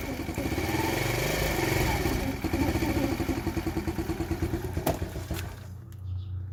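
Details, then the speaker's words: TaoTao 50cc Chinese scooter after float replacement, dirty fuel and fuel filter suspected: small single sputters unevenly, struggles to pick up, then sags and nearly dies; bogging and stalling, cause not confirmed. "probably need to adjust that to a little bit oh no it's still bugs look at this"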